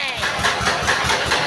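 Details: S1125 single-cylinder diesel idling, not revved, after it ran out of oil and was refilled and restarted: rough idle with a heavy, regular knock about five times a second.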